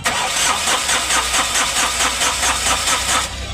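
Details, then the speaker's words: Ashok Leyland Dost diesel after crankshaft repair and engine refit, cranking after DTCs cleared and rail primed: starter turns it at about five even compressions a second, never catches, then stops; no diesel delivery, air in the lines. "अभी cell मारेंगे फिर भी diesel नहीं आ"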